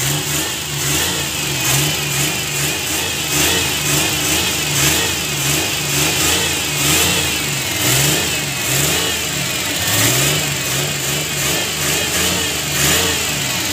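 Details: Suzuki Multicab F6A 12-valve engine, after the blocked carburetor fuel return line was cleared, blips up and settles back cleanly again and again with no stumble or misfire.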